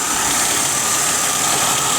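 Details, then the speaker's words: 1996 Buick Ciera after oil pressure switch replacement, steady hissy whirr at idle, harmonic balancer pulley wobbling less than before; bearing sound suspected at front of engine, not confirmed. "the harmonic balance pulley is not jumping around near as much as it was earlier but I'm getting a a bearing sound"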